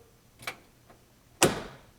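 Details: 1957 oval-window VW Beetle, engine hot: only a few single sharp starter clicks with no cranking; hot restart fails, battery connection checked tight, cause unknown.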